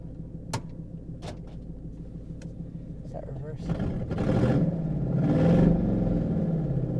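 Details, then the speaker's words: Donk with a new engine replacing a blown motor and a check engine light on; it idles, then revs climb and hold with no load when put in drive, so the car won't move. Transmission or driveline suspected, unconfirmed. "I was able to start it up a couple of times every time I started up when I put it in the drive it'll just rev up it won't go"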